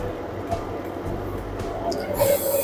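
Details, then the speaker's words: Washing machine spin cycle after replacing a dead spin motor with open running winding: spin hum rising to maximum RPM, then clean winding down under braking, no grinding or knocking; motor and brake working fine. "Yes, dear, you can hear the noise. Motor is working fine."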